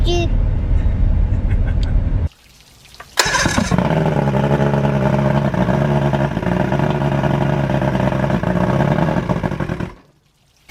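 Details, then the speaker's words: Boat motor on a new fuel pump and primer solenoid, after a short start-up: low, lumpy, uneven running for about seven seconds; it is somewhat running but rough. "as you can see, I've got it somewhat running. However, it looks like we got a couple issues."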